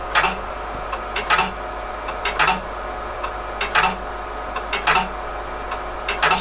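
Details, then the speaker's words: PDP-11/34A vintage computer booting from RT11 floppy on RX02 drive: repeated clusters of head clicks and seeks every second over fan hum, retrying boot more slowly; disk block 32 found corrupt. "the behaviors change they're still continuing trying to reboot it's slower"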